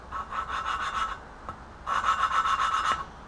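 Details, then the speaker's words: Lapping an exhaust valve on a BMW E30 M10 cylinder head: gritty back-and-forth rasping strokes with pauses; tone changes as seat improves, but valve not yet sealing and lapping tool keeps popping off, needing resetting. "just getting it where it's not quite sealing on there. And just the right size that it's not going to, it's going to continue to pop off. So just have to keep resetting it. You can hear the tone change. So this one's not quite."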